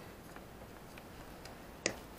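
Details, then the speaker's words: Hard disk drive damaged in poorly packed shipment, connected and powered on: faint regular ticking and a sharp click at spin-up; heads knocking instead of reading, drive dead. "то есть мы с вами можем слышать слышите да звуки как работает головка как что работает винт у нас полностью подключен через нашу систему слышим да то есть это проблемы н"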